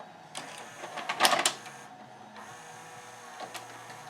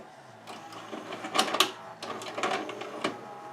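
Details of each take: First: 1992 Admiral (Sharp-made) mono VCR, Montgomery Ward JSJ20416, after de-glazing its belts and pulleys with acetone and hot-gluing the capstan motor pulley: soft motor whirring, a clack as the tape seats, then steady play; tape loading is fixed. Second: 1992 Admiral (Sharp-made) mono VCR, Montgomery Ward JSJ20416, before repair, with a tape being inserted: irregular clicks, clunks and a brief motor whir and grinding, then the tape is rejected; loading belt suspected slipping.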